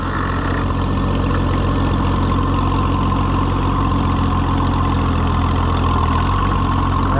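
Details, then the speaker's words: Oliver 77 tractor (free Ohio machine, first run after reassembly) at rough steady low idle with light rapid pecking tick, three or four a second; pecking quits when clutch is pressed, so owner rules out hydraulic pump. "boy that pecking is back right away rev it up and ignore it sounds like a good plan to me well it quits when I step on the clutch"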